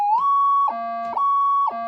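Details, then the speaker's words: Older Minelab pulse induction gold detector with upgraded multi-stage gain electronics, at massive gain: loud piercing tone flipping between high and low pitch about every half second; it still ground balances. "Okay, it screams. So that's on a massive amount of gain, and it ground balances."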